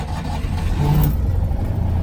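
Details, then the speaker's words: Citroen 2CV two-cylinder just after fitting a new air filter, started with a bit of choke: low, even thrum with a slight rev, no misses or knocks; runs fine. "Oh no, that sounds fine. So I just needed a bit of choke again."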